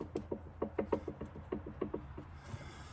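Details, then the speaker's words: 2016 Segway X2 after coupling replacement, unit rocked back and forth by hand: uneven hollow knocks about three a second; play somewhere in the drive, owner doubts it is the couplings, cause unclear. "although i was a little concerned because when i move this back and forth i kind of hear a knocking noise here you hear that"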